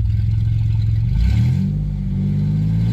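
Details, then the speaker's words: 1990 Dodge Grand Caravan LE, sat two months, refuelled after running dry, exhaust not yet bolted up: a strong, even low note rising and settling smoothly with revs, no misses or knocks; running properly. "good to know actually a that sounds good it's got gas now well it runs it needs a lot more gas so but that's enough for now"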